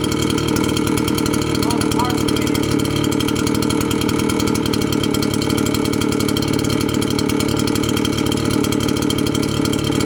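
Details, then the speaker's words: Red Max two-stroke blower after replacing the loose, vibrating fan that caused a rattling noise; steady high-revving drone with even fan roar and no rattle, smoking as parts cleaner burns off; normal running after repair. "smoking and that's how you replace that rattling noise on your blower and install that fan"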